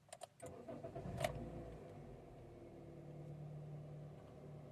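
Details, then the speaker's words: 2014 Honda Mobilio during a used-car inspection: a short crank catches quickly and settles into a steady, even idle with no knocks or misses, so the engine runs normally. "Semuanya normal. Mesinnya juga berjalan normal."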